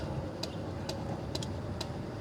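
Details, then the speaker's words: 1997 Mercedes S500 coupe while driving, side power mirror buzzing nonstop: sharp, light, even ticks about twice a second over low road hum; it keeps clicking even when the switch is changed over, cause unknown. "Even when I switch over here, it won't stop."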